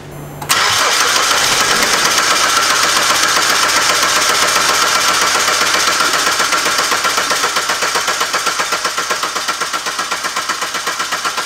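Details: 2019 SsangYong Rexton Sports after oil cooler replacement (coolant mixed into engine oil) and damper pulley noise fix; catches quickly and settles into a steady, even idle with no knock or rattle.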